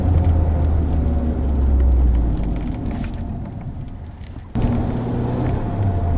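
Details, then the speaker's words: 22-year-old car with 150,000 km, driving: a low droning hum under road noise that rises with speed and falls when slowing, the typical sound of a worn wheel bearing. "this typical noise rise proportionally to the speed of the vehicle rising while it's taking speed and blower as it's flowing down"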